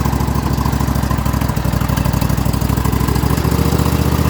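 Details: Atlas machine with replacement 25 hp Briggs V-twin, separate choke cable; steady, even low thump settling into a smooth idle right after a cold start; normal idle.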